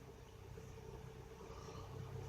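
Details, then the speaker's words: 2006 Honda Odyssey V6 idling at 650 rpm with 19 psi oil pressure, during repair of P2646 VCM code; quiet steady hum, no ticking or lope; normal idle. "so at idle now 650 19 psi I learned something"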